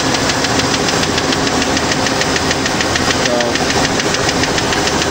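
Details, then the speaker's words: 1993 Ford F-150 with 4.9 liter six-cylinder, automatic, newly bought used: light, even tapping about three per second over a steady idle; valvetrain tick of unknown cause, long present with the previous owner. "looks like it's gonna be a strong engine once i get that tapping noise done but it does run it does drive pretty well"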